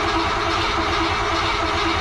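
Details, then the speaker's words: Cadillac after a fuel system overhaul (aftermarket pump, derusted tank, new lines), cranking to pull fuel up to the carburetor: steady, even cranking drone with a fast pulse that never catches; crank no start, fuel not reaching carb yet. "now let's give her a little bit of a crank here and see if we get any fuel up here to the car"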